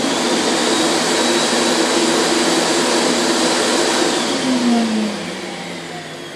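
A steady high-pitched airy whir holds even, then winds down smoothly near the end; the turbine sounds healthy with no rattle or grinding.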